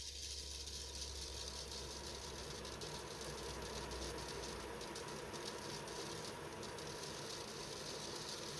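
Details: Bionaire 360XL air purifier after a few months of light use: steady fan whoosh with a continuous dry ratcheting rattle; nothing obstructing or rubbing the fan, so a bad bearing is suspected, not confirmed.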